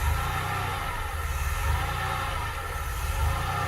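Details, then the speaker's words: 1982 DeLorean DMC-12 with 5-speed manual, idling just after a cold start. Drone swells and sags about every 1.5 seconds over a steady low hum that sounds very odd. Cold idle is hunting seriously but holding; cause unknown. "okay it sounds a little better now well so there's some serious hunting going on there [Applause] and i don't know what that low end sound is though that that just sounds very odd to me"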